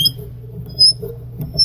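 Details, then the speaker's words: Hand tap threading a pre-drilled 3/4-inch-deep hole in a bottle stopper: short high-pitched squeaks in bursts as the tap turns, cutting dry without wax or lubricant. "I could probably put some wax on those threads or some lubricant on those thread cuttings, but I am not as of right now."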